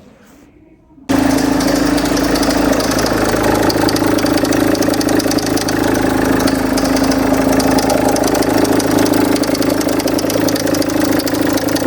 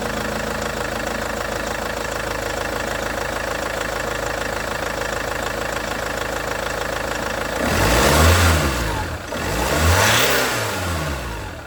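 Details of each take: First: Range Rover Evoque, owner's own car, at idle before replacing the auxiliary belt idler pulley/tensioner: engine catches and settles with a dry metallic rattle over the running note, and the owner remarks it doesn't sound happy. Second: Range Rover Evoque after auxiliary belt tensioner/pulley replacement: steady, even idle with no belt-drive rattle, then two clean throttle blips rising and falling smoothly; sounds better after the repair, normal idle.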